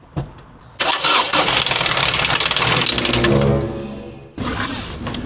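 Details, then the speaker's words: Ford Transit Connect petrol van with a bad misfire, after fitting a test spark plug to cylinder 4: cranks, catches, then runs rough with loud uneven clatter about four knocks a second; suspected ceramic debris. "That didn't sound good. No, that didn't sound good. Why? Why did that sound so terrible?"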